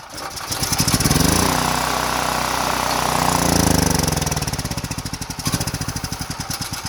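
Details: Power Mate VX Series generator after carburetor cleaning, including the solenoid on the fuel bowl, and once the on/off switch was turned on; the tank probably holds eight-year-old fuel. The engine catches, revs up, then settles to a steady, even chug. Normal running.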